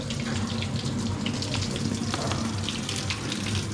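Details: Hitachi SF-160XTV 16 kg washing machine that beeped but had a dead display; after a failed board component was replaced it powers on normally, and water rushes into the tub with no valve buzz or chatter; fill sounds normal.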